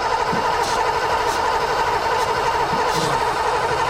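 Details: 1986 Ford Mustang GT 5.0 five-speed that sat 20 years: starter churns steadily at about ninety slow compression beats a minute with no catch after starting fluid sprayed into the intake; cranks but won't start, ignition coil suspected, not confirmed.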